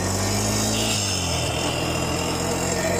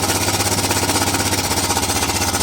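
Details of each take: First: 2008 Honda Recon ATV, revived after 15+ years abandoned and a starter fix, ridden down the road shifting up with electric shift: steady engine drone under road noise, pitch drops at each upshift, no knocks or grinding. Normal running. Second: 2008 Honda Recon single-cylinder ATV, sat abandoned 15+ years, cold just after first start: rapid chuffing beat, lumpy and uneven at low speed; stumbling, needs more choke and warm-up.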